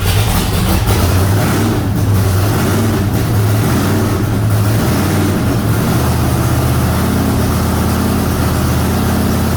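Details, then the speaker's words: Blown big-block Chevy V8 truck, methanol, before a hub dyno session, eight injectors not working: deep, lumpy idle that stumbles and shakes unevenly with revs hunting. Misfire from dead injectors. "good and bad news so bad news we can't get the other eight injectors working"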